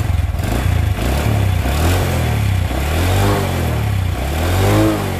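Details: Single-cylinder motorcycle that lost compression from water-contaminated oil, after repair, started immediately on the starter; repeated throttle blips, pulsing exhaust climbing and falling cleanly, no knocking, healthy though idle was judged slightly low.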